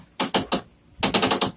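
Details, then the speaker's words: P500 with reduction and locker, wheel turned by hand with the other wheel held: short bursts of crisp ratchet clicks as the locker disengages and freewheels normally. "free spins and you're that local ratchet noise that's the locker disengaging"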